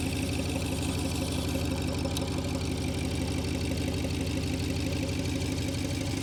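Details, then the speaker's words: BMW 7 Series N63 V8 fitted with aftermarket downpipes: a smooth, even idle with a steady low rumble and no ticking or puffing from the exhaust joints, everything sound. Normal idle. "არაფერს არ ეპარება, ყველაფერი კარგად არი."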